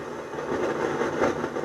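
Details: Harman Kardon 230 receiver FM section: a rushing, crackly hiss that swells and fades unevenly with no programme audio. The noise remained after transistor TR104 (2SA52 germanium) was replaced, and the diodes and transistors are being checked.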